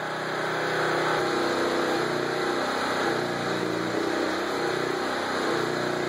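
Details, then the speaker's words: Portable generator powering a transformer-type arc welder set at 35 amps while tacking: steady engine drone labours and dips as the arc load comes on; generator struggling and bogging under welding load, arc expected to be sticky. "I'll film the uh welder and I guess the generator so you can hear it struggling"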